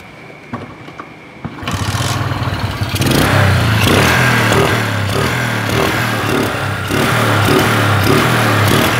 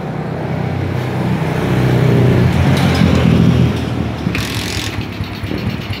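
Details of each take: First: Motorcycle after replacing the rusted imitation spark plug cap with a direct lead connection, carburetor already checked: it starts and holds an even beat, quick throttle blips pick up cleanly with no stumble or misfire. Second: Suzuki Smash motorcycle misfiring (brebet) and dying when throttle is forced, carburetor and jets checked clean: the note rises, then stumbles and sags unevenly; a corroded spark plug cap gives weak spark.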